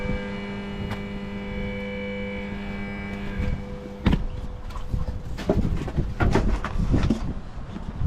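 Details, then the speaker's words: Jacuzzi pump 2 hums steadily but won't spin, while the circulation pump and blower work. The start capacitor is suspected, and the axle is heavily rusted; a new pump was ordered. "one works from three circulation pump works blower also works but pump 2 is not working you can hear buzzing noise"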